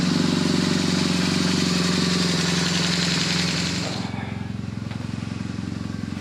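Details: BMW R1200GS Hexhead boxer twin at about 100,030 km after 100,000 km service work (rocker arm end play, plugs, engine guard): even rumble held at higher revs, drops back to steady idle, no ticking or knocking; normal running.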